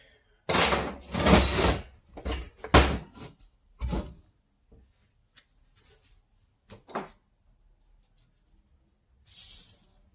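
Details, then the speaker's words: Honda D16/D15 manual transmission input shaft bearing, removed and spun by hand: loud coarse gritty rattling bursts fading as it coasts; the source of the transmission noise, cage still intact; worn bearing being replaced. "Ooh, that thing is loud."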